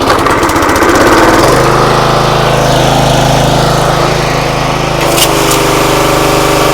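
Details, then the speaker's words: Free used pressure washer that reportedly only runs on choke, started at full throttle on choke after bleeding air from the pump: steady even drone with pump hum, no misses or surging; motor and pump seem fine. "pressure washer Works motor seems fine pump seems fine"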